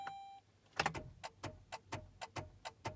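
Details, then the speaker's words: 2007 Saturn ION failed cold start after sitting for months, everything off: short chime, then quick even clicks about five a second with no cranking; battery has enough to beep but not crank. Owner suspects dead battery or loose wiring, since battery tested fine on charger. "yeah. When she's blinking like that, she's done. She's got enough to beep, but not enough to crank her over."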